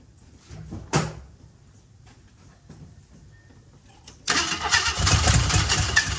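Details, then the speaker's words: 1978 AMC Hornet, first start after hooking up the battery and adding gas: a single crank burst, then it catches and runs ragged and uneven. The owner suspects a wrong firing order; the cause is unconfirmed. Hard starting and rough running. "could it be could it be that it's out of uh the that the uh firing ORD is wrong kind of sounds that way right now but I don't know we'll see"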